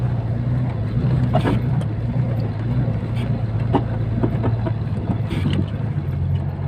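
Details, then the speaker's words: KamAZ 65115 truck driving while hauling snow: irregular knocks, creaks and squeaks from the cab's hydraulic locks behind the seat, over the low engine drone as the cab rocks. "хорошо у нас это именно скрипят гидрозамки так настрою вот например скрипы как раз идут учатся за сидением перед hydra замок дадут кабины которая закрываться"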